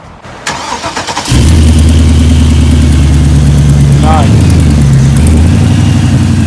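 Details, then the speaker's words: 1988 Chevy Caprice after engine swap, burnt wire removed and new belt fitted: starter cranks briefly, engine catches cleanly, settles into steady even idle, no misses or knocks; healthy start. "so no fire it's running we're happy"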